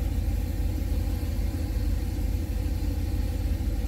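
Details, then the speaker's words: Boosted 408 cu in LS V8 on its third start with LBI 100 lb/hr EV14 injectors, coolant now circulating at 200°F, oil pressure 33: deep, even rumble with a steady pulse, no ticks, knocks or misses; normal idle. "guys so it looks like it's running pretty good uh the coolant has finally circulated in the engine so that's good"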